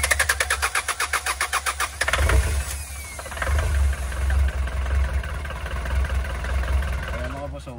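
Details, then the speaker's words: Hyundai Starex GRX diesel that won't start: the starter cranks at about five pulses a second but never catches; no diesel reaches the common rail from the pressure pump, code P1183, suction control valve suspected. "Wala pong diesel na umakyat papunta sa common reel kaya nage-error yung common reel sensor natin."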